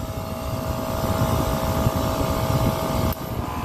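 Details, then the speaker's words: Copeland digital scroll compressor in an Emerson Liebert precision cooling unit for data centers: steady drone, then a sharp click as the solenoid valve bypasses discharge gas to suction, pitch and loudness drop; normal load/unload capacity cycling, not broken. "so you hear that difference or the change in sound or the change in tone or the clicks it's not broken all right it's not broken this is what you call a copeland digital scroll compressor"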